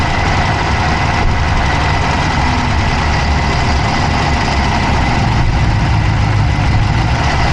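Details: Dodge Charger Hemi V8 at steady idle, recorded inside the engine bay on the passenger side with an Insta360 Go3: a faint, quick ticking rides over the low rumble; a fast tick at idle whose source can't be pinned down.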